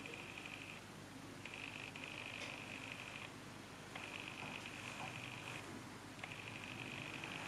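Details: Panasonic Lumix GF8 camera: faint raspy high-pitched buzzing/grinding in 1–2 second bursts; a brand-new replacement unit does the same.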